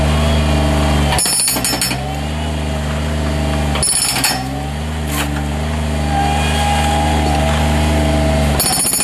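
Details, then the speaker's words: 2012 Bobcat HB680 hydraulic hammer on a Bobcat MT50–MT55 mini skid steer, pounding into concrete. Steady rapid blows, about 3–4 per second, over the loud idling machine with brief pauses. No leaks or welds; hitting strongly and evenly, normal. "I'll go ahead and pound with it, but there isn't a single leak on it. It's not welded or busted up."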